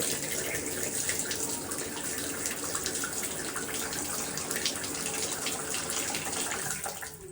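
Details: Delta shower valve after cartridge replacement to cure knocking pipes: steady rushing water with even hiss, no knocks or hammering; valve flowing cleanly, normal shower flow.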